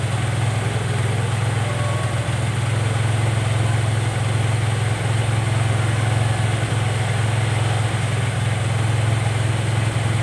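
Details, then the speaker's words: Honda Vario 110 (Vario Techno) carburetor scooter at idle with no throttle: loud, fast, steady drone as the idle climbs by itself well above normal; unstable idle running far too high. "Naik sendiri, turun sendiri. naik naik dengan sendirinya ya agak meninggi ya."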